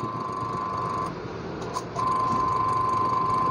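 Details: Washing machine motor after repair: a broken lead was rejoined. Steady, even hum with a clean tone around one kilohertz and a brief dip midway, then smooth running; motor healthy.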